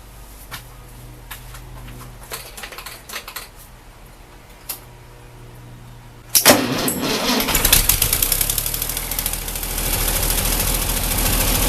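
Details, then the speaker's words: Ford 8N tractor after rebuilt carburetor, no leaks, accelerator pump working: clicking then engine catches, runs ragged and uneven, struggling and near stalling, same as before; fuel line flow next to check, suspected fuel starvation; running poorly and dying. "hmm still doing the same thing that's"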